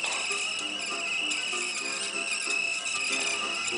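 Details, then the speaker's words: Reel-to-reel tape deck playing Sony PR-150 tape with music; constant thin high-pitched squeal from the tape passing the heads, tape known to squeal though free of sticky shed; low tension noted. "Sony pr150 what do you expect it's probably one of the worst tapes in the market doesn't do the sticky shed syndrome but it squeals like hell and oh boy is it's"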